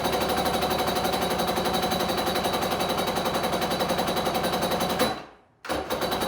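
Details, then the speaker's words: Kawasaki 750SS small-pin two-stroke swapped into an SC jet ski, motor ran before: steady rapid cranking that never catches; spark confirmed, owner suspects it is having a hard time pulling fuel through the fuel line. "yeah all right guys I couldn't get it to start so I checked spark sparks go"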